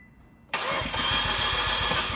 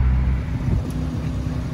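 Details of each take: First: 2015 Fiat 500C Abarth MultiAir, sat a month in Texas July heat: about two seconds of quick even cranking with no firing, gas pedal floored to re-prime; no-start as oil drained from the MultiAir unit, losing prime. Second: 2015 Fiat 500C Abarth MultiAir after re-priming lost oil prime, light drive: smooth low drone under light load, no ticking from the top end, which had tapped earlier (judged injectors); healthy even run.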